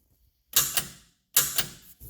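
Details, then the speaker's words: Trans brake solenoid on a car project, newly fitted transmission and ignition box, weak battery too low to start the engine: two crisp clacks about a second apart, each with a double click. Trans brake operating normally. "trans brake suddenly sounds good."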